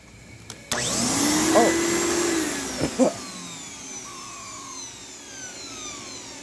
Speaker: that just blew a bunch of dust in my face okay so the reset button tripped for some reason